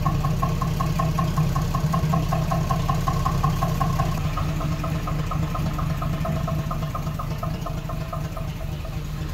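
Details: 1976 AMC Gremlin, revived after 36 years in storage, started to move it after disc brake work: sharp metallic tick about 160 per minute over the idle, engine noisier than normal; knock of unknown cause.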